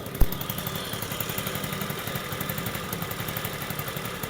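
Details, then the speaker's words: Old-model Honda CD 70 idling: fast rattly whirr from the clutch side cover appears when the clutch is pressed and stops when released; fixed by replacing the clutch side cover 6000 bearing. "जैसे ही clutch छोड़ते हैं आवाज खत्म हो जाती है। जैसे ही clutch दबाते हैं आवा फिर आने लग जाती है।"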